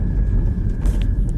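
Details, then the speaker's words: 2016 BMW 320D after fixing the damaged handbrake cable bracket that let the cable touch the propeller shaft and rattle at the center console: road test under acceleration gives a steady low drive rumble, no rattle; normal running. "भी गाड़ी को accelerate कर रहे कुछ भी कर रहे तो व आवाज जो थी वह चली गई है अभी आ नहीं रही है बिल्कुल भी"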